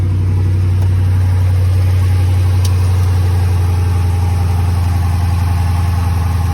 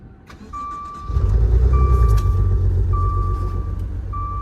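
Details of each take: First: Salvage-auction car with 5.7 V8, 143,000 miles, rear-end damage, no check engine light; deep, even V8 idle with a steady burble, no misses, knocks or ticks; normal idle. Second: Maserati at a salvage auction, sold as run-and-drive: it cranks, catches and settles into an uneven, lumpy idle with a chime beeping over it. It runs rough, cause unknown.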